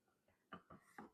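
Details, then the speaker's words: Mercedes W212 E550 4Matic with Airmatic struts: four quick, hollow clunks as the front strut is rocked by hand, from a worn top bearing plate with excessive play, cause of the front-end clunk. "This one's even worse. Can you hear that clunk?"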